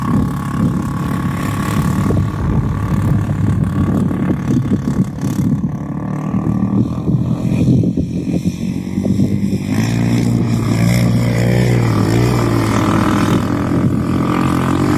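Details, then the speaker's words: Yamaha Raptor 350 single-cylinder ATV riding at the dunes with gutted stock muffler: loud, raspy, unmuffled drone rising and falling with throttle, loud but not a quality sound; owner plans an FMF slip-on. "It sounds loud, but not a quality sound, if you know what I mean."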